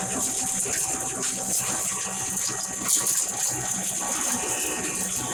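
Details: 7.5 hp double-chamber masala pulverizer grinder with cyclone, cyclone and main machine switched on: steady high hiss and rattle of product, no knocks or grinding, even level; normal running sound.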